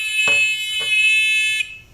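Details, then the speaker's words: Discovery metal detector pinpointer, originally too quiet, after disassembly: loud steady high-pitched buzz about 1.5 seconds, clean and strong; buzzer working properly. "But if I can get a beep like that on the beach, somehow, it's almost like they had this upside down."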